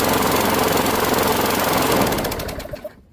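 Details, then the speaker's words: Discarded Craftsman Gold lawn mower: small engine chugging with an uneven, stumbling beat that skips now and then before dying; misfire, rusty spark plug suspected. "Feels like it's skipping. I don't know why."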